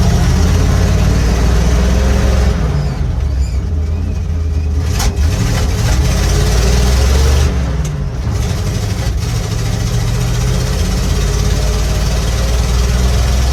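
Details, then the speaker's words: 1955 Chevy dump-bed truck, sat 23 years, small-block V8, on the road with a sticky gas pedal: deep, throaty rumble pulling evenly through gear changes, no misses or knocks; normal running. "It's a little tough with that sticky gas bill, but it's on the road. She's cruising."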